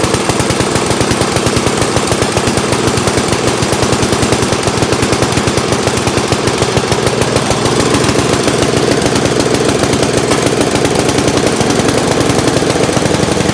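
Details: Old Montgomery Ward Power Kraft single-cylinder engine on first start after Welsh plug cleaning, choke and throttle full up: fast, even popping, steady throughout, nothing abnormal; normal running.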